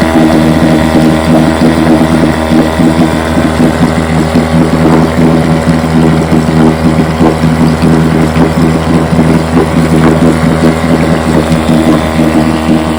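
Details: Fully restored 1958 Johnson 7.5 hp two-stroke outboard in test barrel, silencer not yet fitted: steady even burble, no misses, knocks or surging; runs great, idles with a sweet purr, normal running.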